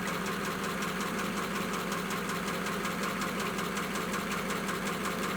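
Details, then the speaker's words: 1941 pickup just started after wet-ignition drying with air and a heat gun, steam coming off the manifold. Even, fairly smooth idle with a light steady patter and background hiss: normal idle. "okay that's good it's running"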